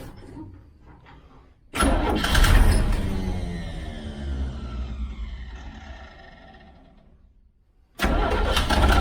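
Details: 1969 Chevy Van six-cylinder, off the road 35 years: engine catches and roars, then sags and dies over about five seconds before cranking again; no fuel seen coming through, owner suspects bad fuel pump, not confirmed.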